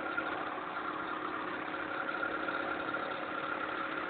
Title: Ticking Sound from the Engine